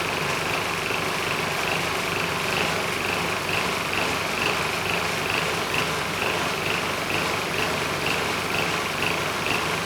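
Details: Powermate SX Power Series 3250 W generator (PM0123250) started first pull on choke, light load plugged in: busy, slightly uneven beat with ticking clatter, rough running; carburettor suspected, engine otherwise sounds healthy.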